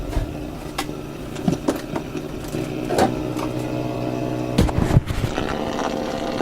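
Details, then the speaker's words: AM radio at 1218 kHz: low steady buzzing hum with irregular crackles and pops over station hiss; the spurious signal is traced to the office computer screen, confirmed by unplugging it. "So, what's going on here that my screen is issuing this very loud noise?"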